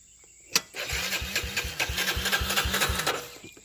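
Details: Yamaha one-side trials bike: about three seconds of slow regular cranking chuffs, roughly four per second, with no catch or firing; cranks but won't start, cause unknown.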